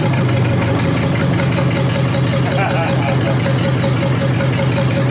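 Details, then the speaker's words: 1953 Hemi V8 restarted after draining dirty oil and adding clean oil and a clean line; deep, steady, even idle with light old mechanical fuel pump ticking underneath, no knocks; oil pressure present, runs healthy. "Pounds that idle. It'll be alright. It'll be alright. Yeah. Really good, I think."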